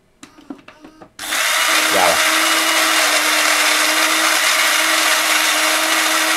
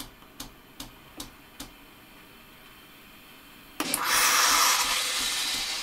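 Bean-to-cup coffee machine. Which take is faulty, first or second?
second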